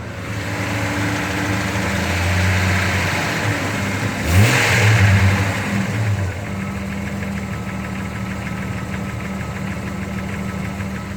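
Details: Engine just fitted with new rod bearings: a steady, fairly even knock about three per second rides over the idle and rises with revs; lifter or rod knock, unclear.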